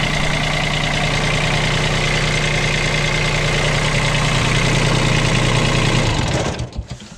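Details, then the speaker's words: Bobcat 553 skid steer diesel idling: even idle with a steady high squeal over it until shutdown; the drive belt is slack and needs tensioning. Loose drive belt. "as you can hear, the belt needs some tensioning, so there will be a little bit to do with it, but not that much."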